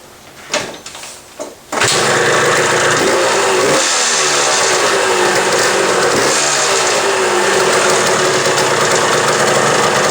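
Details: Old Suzuki two-stroke bike after a new throttle cable and throttle: kicks over after a couple of tries, then a crisp, even crackle that revs cleanly and settles. Healthy running.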